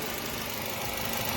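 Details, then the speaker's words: Nissan Y12 after repair of cylinder 4 wiring (spliced, heat-shrunk, taped): smooth even idle with no skips; scope shows cylinder 4 firing line, no misfire, fixed. "And as again the vehicle is on, no misfire, we could scope number 4, and you see firing line, seeing everything."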